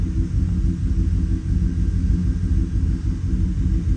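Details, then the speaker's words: 2018 Chevrolet Silverado V8 at idle after injector swap; scanner live data flags misfire on cylinder 3 then cylinder 6, plus MAP sensor code; deep rumble with uneven stumbling pulse, misfire at idle, MAP sensor to be checked. "Okay, misfire. Cilindro seis, miren. Me sigue marcando."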